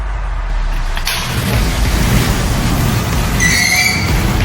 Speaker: Nails on a chalkboard. Let's see exactly why that's happening. This is awful. Shouldn't be making music.